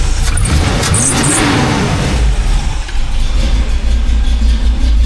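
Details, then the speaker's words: 1985 Chevy C10 cammed V8, new Holley 4160 600 CFM electric-choke carb after cold-start tuning, choke opened: revs fall from a blip into steady even lumpy idle, no stumble or hunting; carb dialed in, normal idle. "I'd say we have this Holly carb pretty well dialed in. I figured it wouldn't be too bad since it's brand new and all, but now that that's done, we have a good powertrain for this truck."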